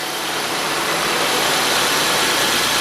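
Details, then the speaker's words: Peugeot 207 1.4 8v TU3JP idling after reassembly, new engine mounts: a steady, even, hiss-heavy idle with no knocks, ticks or misses and a quiet valvetrain; normal idle, very stable, no abnormal noises. "ruídos anormais. Bastante estável."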